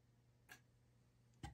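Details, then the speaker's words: Model railway with Digitrax BXP88 detectors, rail A/B wires deliberately crossed between sections: two sharp relay clicks about a second apart over a quiet hum as the locomotive slowly crosses the gap. "So if I start going, now I'm going slow on the first time because, so if you were to be putting pieces together and you see that kind of response, you can hear my relays"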